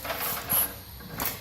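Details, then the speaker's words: Craigslist Simplicity rototiller, spark plug lead removed, old gas still in: short recoil pull turns freely with a couple of firm compression puffs; not seized, compression sounds good though unmeasured. "yeah turns freely the Rope is in very good shape and I hear it as it strokes the compression I don't obviously I'm not measuring the compression but I"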